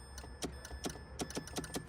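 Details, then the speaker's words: Mitsubishi Mirage CVT, key stuck in ignition: pressing the park micro switch under the shifter gives sharp, light clicks at uneven short intervals as the key interlock solenoid in the ignition releases normally. "When you push on that, you can hear it click, and you can hear it up in the ignition."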